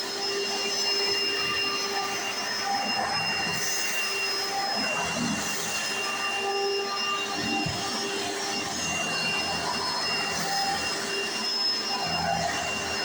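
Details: 1995 Hoover Encore Supreme U4261-930 upright vacuum, barely used, bought used in great condition: steady high-pitched motor whine over loud even brush roll whir, no wavering or grinding; owner says it sounds perfect, brush roll like a Singer vacuum; normal running.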